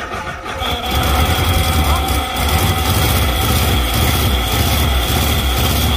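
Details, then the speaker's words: Fire-damaged Morris Traveller, first start in 44 years, hot-wired with new points, condenser, distributor cap and leads, fuel in the float bowl, vacuum advance unconnected: catches after a brief crank and runs steady with small throttle swells. Running fine. "so I know it runs I hadn't put the Advance on the vacuum for the advance um but as far as I can see it's all doing what it needs to do so I've proved that the engine runs"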